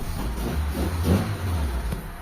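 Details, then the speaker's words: Mitsubishi Lancer Pizza 4G13 carbureted engine, just restarted after carb rebuild with new repair kit, before tuning: low, uneven idle sags and wavers; idle dropping, carb to be tuned with a vacuum gauge. Complaint is idle hunting with aircon on. "So mapapansin nyo mga boss, bababa na yung idle nya."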